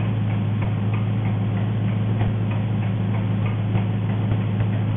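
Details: Engine running on gas (LPG) at steady idle with a sharp, fairly quick ticking about three per second on top, described as enormous nailing; cause unknown.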